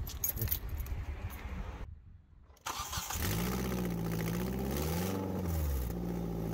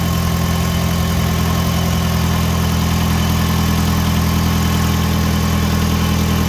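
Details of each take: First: 2005 Hyundai Tucson GL 2WD with all but one exhaust manifold bolt removed, manifold loose: idle and revs with rough, raspy puffing climbing with rpm; exhaust manifold leak. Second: 2005 Hyundai Tucson GL 2WD after catalytic converter and exhaust manifold replacement, started to listen for leaks: smooth, even low idle with steady drone, no ticking or puffing; normal running, though a small leak is possibly suspected.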